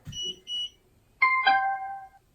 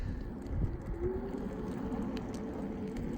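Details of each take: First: Gotrax SRX Bluetooth hoverboard: on switch-on there are two short high beeps, then a falling two-note chime in a quiet room, and a blue light shows it holds a charge. Normal power-on tune. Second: Gotrax SRX Bluetooth hoverboard at top speed (or steep incline, motor near its limit): run of short, evenly spaced high warning beeps over rolling wheel noise; backing off speed stops it, continuing cuts motors and causes a crash.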